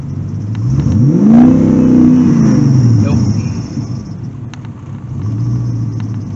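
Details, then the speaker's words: 1984 Crossfire-injection engine, warm at 150, rev test outdoors: engine climbs on throttle toward about 4000 rpm, then falls flat and sags back; replaced speedometer sensor compatibility still suspected; high-rpm stumble, won't rev past about 4000 rpm. "he's trying to let about 4 000 RPM she sounded like [Music] nope there it goes well I didn't expect that to work"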